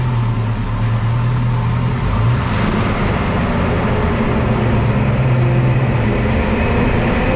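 A low droning groan comes and goes over road noise while braking, pointing to brake noise of unclear cause.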